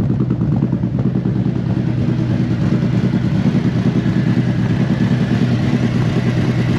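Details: Used 2018 Harley-Davidson CVO Road Glide, checked before purchase, idling at about 1,000 rpm and settling down: an even, steady low V-twin thump with no ticks, knocks or noise from the motor. It sounds healthy.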